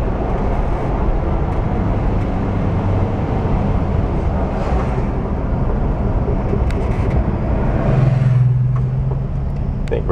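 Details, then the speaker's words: VW bus after gear reduction box bearing repair, road test: steady road rumble, engine pulling evenly, slight rumble in turns, no whine or growl; reduction boxes quiet; quiet drivetrain. "nice and quiet now probably should have done it before nice and quiet you throw it into the turn you hear it Rumble a little bit more and you pre-load the bearings heing quiet now though"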